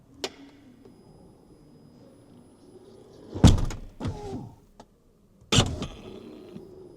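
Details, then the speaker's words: Tesla Model X door, driven from the inside screen buttons after its water-corroded door motor was repaired; a short motor whir and solid latch thunk, then the door opens evenly without grinding or stalling. "And as you can see, that door is working now."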